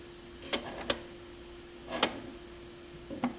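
A handful of irregular clicks and soft clunks over a steady low hum as the changer cycles normally before the drop.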